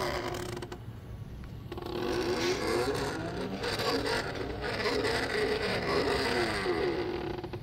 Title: Worm gear and stepper motor, noisy outcome...